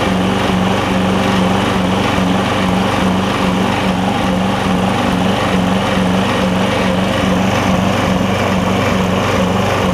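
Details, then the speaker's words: Lowe's MTD push mower with a Briggs Quantum engine, after an intake valve grind: single-cylinder engine runs steadily but surges in a rhythmic rise and fall. It runs better and no longer chokes itself out; owner suspects the valve was ground slightly too far and it needs more fuel. "it is running even though it's surging now I think I'm a little bit too far on the valve it is running better it's not choking itself out so we got the opposite problem"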